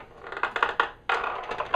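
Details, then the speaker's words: Harbor Freight 12-inch double-bevel sliding compound miter saw, item 61970: short squeaky chirps as the guard moves, a dry return spring creaking. "the first problem was and not even really a problem the spring is dry so you can hear it"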